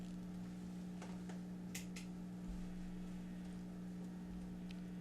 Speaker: One thing I'll say in particular, I have had, you can hear there's a little 60 cycle hum. There always is, though, because my house is ungrounded, so there's always some 60 cycle hum through my amp, but that's all the volumes are on.